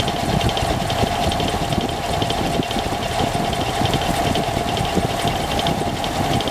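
Steady idle with a busy rattling clatter over a midrange drone; something's off but the cause isn't clear from the sound.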